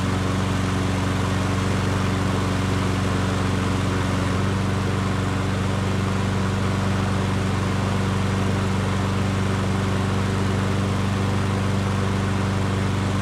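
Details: Nearly new Yard Works self-propelled push mower, sold as seized but not actually seized, first run after sitting on its side: steady even drone with no knocks or rattles; runs smoothly.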